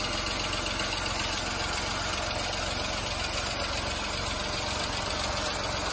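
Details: VW Fox 1.2 L 6V three-cylinder (BMD): steady, even idle beat with no stumble or skipped firing.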